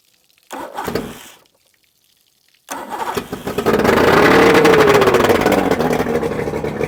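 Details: Johnson/Evinrude 130 Looper outboard, first start after rebuild with new pistons: cranks briefly, then catches and revs up to a busy, even two-stroke buzz that settles back; normal running.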